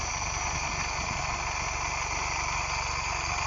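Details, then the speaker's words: GM 1.8 Gamma engine, snapped belt, incorrect crank pulley fitted upsetting ignition timing; running very hot, idle turns uneven with low pulsing when the fan kicks in and returns normal when fan stops; petrol in oil suspected. "Die ding raak baie warm. Baie warm. As die fan aanslaat en idle die ding weer funny."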